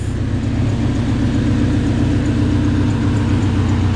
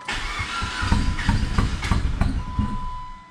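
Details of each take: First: PT Cruiser GT turbo 5-speed, first start after broken timing belt replaced, no coolant and no power steering belt: low, slightly lumpy idle with steady hum, idling real low but running; normal idle. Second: PT Cruiser GT Turbo 5-speed, long-sitting, after broken timing belt repair, fuel primed three times, no power steering belt, borrowed battery: starter churns with uneven chuffs, nearly catching but not firing cleanly; wants to run, idles very low. Owner suspects an unplugged sensor.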